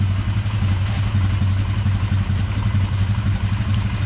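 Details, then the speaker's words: 1999 Polaris Sportsman 500 after fuel pump replacement, started cold with choke (earlier popping, head gasket suspected but not found): steady low even putter at idle, no popping or misses; normal idle. "I think that fixed the issue man it's sitting there running idle and smooth doesn't sound too bad"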